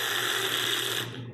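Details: Pickup truck starter cranking: harsh, high metallic grind for about a second, then cuts out; starter chewing a flywheel ring gear with teeth ground almost completely off in one spot.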